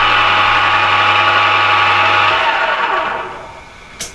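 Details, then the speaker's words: Used Emco Maximat V10-P geared-head lathe, started at 240 rpm: steady low hum with busy, somewhat noisy gear whine, then a smooth wind-down to quiet; normal running. "I'll fire it up he's a bit noisy that's putting the power on at the moment when there's running at 240 revs"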